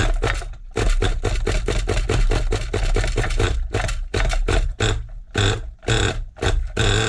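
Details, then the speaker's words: Rebuilt 2002 Team Associated NTC3 nitro RC car, engine owner had to muck around with: sputters in uneven bursts sagging almost to stall because idle speed has dropped too low; fixed by cranking idle up. "idle's dropped on it idle has dropped on it"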